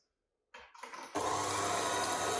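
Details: KitchenAid mixer motor spins up in a couple of uneven surges, then runs with a harsh, rattly whir instead of a smooth hum, an abnormal running noise.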